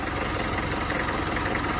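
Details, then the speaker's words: 1994 Isuzu Panther diesel, first owner, 350,000 km, 30 years without an engine overhaul: loud clatter with a slightly lopsided, limping idle rhythm; some smoke but not severe, rough uneven idle ahead of a rebuild. "Agak ada pincang. Belum begitu ngasap sebenarnya, tidak parah ini."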